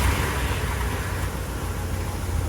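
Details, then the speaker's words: 1963 Lincoln Continental V8 idling after starter relay/solenoid replacement: soft, even low rumble, no misses or knocks, some outdoor hiss; smooth normal idle. "But just to prove to you guys that it does run, and these like to say purrs like a kitten. This does purr like a kitten."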